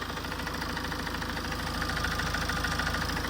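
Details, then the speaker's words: Tata 2.2 diesel 140 hp at idle after cam sensor fix; sharp regular tok-tok knock about 200 per minute, piston knock. Engine likely overheated from coolant loss; overhauled with bored cylinders and new pistons 1 and 2. "อ่ามาฟังเสียงเครื่องดูนะเสียงเครื่องมันดังแปลกๆนะฮะดังต๊อกๆ"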